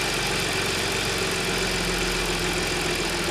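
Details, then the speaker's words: Audi S cold-start idle after replacing broken timing chain guide and cleaning debris-clogged oil strainer: steady even hum, earlier chain rattle gone; normal cold idle. "原来那个声音呢，已经没了。问题解决，底盘上的也装好了，关闭。"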